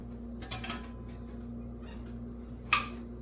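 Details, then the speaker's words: Home pressure-canned jars just removed from a Presto 23-quart canner and cooling: after handling noise, one bright ringing ping as a lid pulls down and seals properly. "get that popping sound that's a good sound okay not going to worry about none of them"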